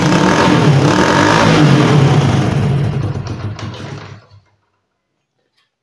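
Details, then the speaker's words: Honda CD-70 motorcycle before silencer replacement: loud raspy single-cylinder exhaust popping at a brisk steady beat before dying away, far too loud due to a silencer cracked in several places. "दोस्तों जैसा कि आपने इसका sound सुना है तो इसका sound जो है वो इस टाइम बहुत ज्यादा हो चुका है इसी वजह से हम इसका साइलेंसर चेंज कर रहे हैं"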